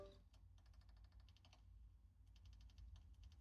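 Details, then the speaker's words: Broken laptop hard drive in a dock: fast, even clicking in bursts of about ten per second over a low hum, a failing drive knocking. "So, you can hear that knocking sound."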